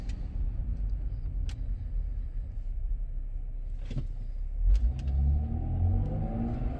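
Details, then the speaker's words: 2008 Volvo XC90 driving under acceleration after a 20-minute upper engine torque mount (torque strut) replacement: low, smooth engine rumble building as it pulls away, the former rattle completely gone; the new mount holds the engine quietly. "all right we're going to test out this noise it's completely gone oh man that's so awesome that is so"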